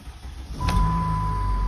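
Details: 2007 Jeep Grand Cherokee Limited CRD, 3.0 Mercedes OM642 turbo diesel, started after a tape repair aimed at clearing limp mode; warning light went away, other codes remain. Catches and settles into a steady, even diesel idle with no misses; normal.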